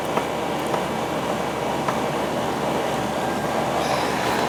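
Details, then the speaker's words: R22 AC outdoor unit, previously not running with the condenser fan surging, after fitting a new capacitor; steady, even whoosh and hum with no rising and falling; condenser fan and compressor running smoothly. "Nice and sweaty. It's running good. Good. Before, you could hear it surging."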